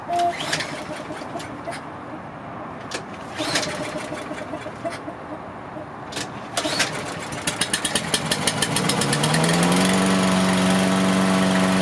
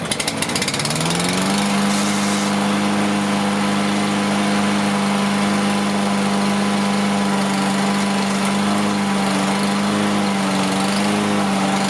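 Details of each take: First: Toro Recycler AWD mower, Briggs & Stratton engine, just started after carb cleaning: fires after clatter, idles slow and soft, then climbs and steadies; idle set too low. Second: Toro Recycler AWD mower, Briggs & Stratton engine: catches into steady even drone, constant pitch, no misses or surging; still smoking from oil in muffler, but running a lot better.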